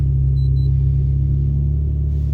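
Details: 2006-2008 Infiniti FX35 cold start after 9-10 hours sitting on a chilly morning, day after revised AC amp install for hard cold starts: starts first try, deep steady rumble, even beat, no knocks or misses; healthy idle.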